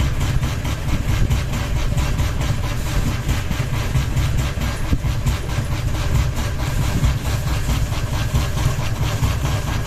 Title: Ceiling Fan Noise 1 Blade Wobble with Ball Hanging | Kipas Angin Gantung 1 Baling-baling